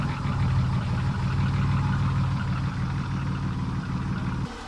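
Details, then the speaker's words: Nissan Maxima J30 engine just after first start following head gasket, valve work and timing replacement: steady low beat, slightly uneven rhythm smoothing as oil reaches the top end; healthy running while coolant is topped up. "жеріне майы барып, кішкене дауысы әдеміленіп жатыр."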